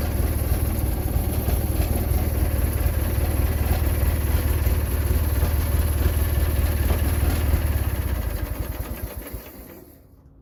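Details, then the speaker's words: Husqvarna GT engine cold start after reinstalling engine: starts easily, steady strong low thumping idle, winds down smoothly at shutdown; charge light still on, starter troublesome. "was originally thinking it was going to be more of a cranker wanker video, but it actually fired up a lot easier than I thought."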